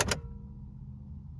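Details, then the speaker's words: Automatic car with check-engine light on: at key-on, a couple of clicks then a faint steady hum as the fuel pump primes. The pump works. On cranking the tachometer rises, indicating ignition and crankshaft sensor work, but the car won't start. "Және кілт ашқан кезде жаңағы бензонасостың дауысы естіледі."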